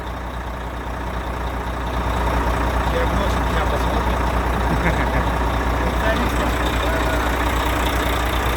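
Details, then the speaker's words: Volvo FH13 diesel truck after engine knock repair (gear reinstalled, nut glued, timing marks set): steady low idle rumble with no knock; the knocking sound is gone. "Ну, звук ушел. Ушел."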